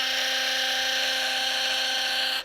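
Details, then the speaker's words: Philips Sonicare electric toothbrush: loud, harsh buzz with a coarse rattle, much rougher than a new brush, from daily use loosening the drive shaft and creating play. "Por que que acontece esse problema? Porque essa aste aqui, ó, ela vai se soltando, ela vai dando esse jogo aqui, ó."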